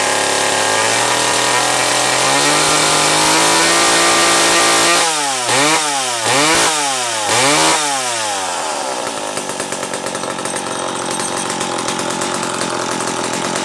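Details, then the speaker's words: McCulloch Pro Mac 700 chainsaw after new fuel hose and fuel filter (carb not rebuilt): two-stroke idles evenly, blips up and down cleanly several times, settles into a crisp run; running normally. "okay so this Critter is running at least I ran it this morning"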